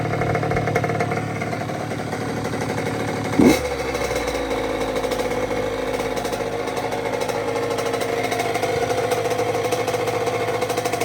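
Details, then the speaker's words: 2006 Honda CR85 after Wiseco rebuild (new crank, piston, seals, bearings, gaskets), first startup heat cycle on first tank of gas: crisp even two-stroke burble after a sharp blip, no knocks or rattles; healthy two-stroke idle. "Get a couple heat cycles on there. She sounds good though."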